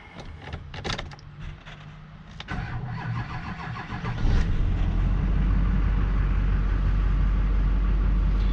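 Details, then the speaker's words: 2004 Chevy Silverado 3500 Duramax diesel with Allison transmission, after transmission work showing no trouble codes: a short crank, then it catches and settles into a steady, even rumbling idle, starting and running normally. "I think we should probably close the hood that's listen to that baby purrr"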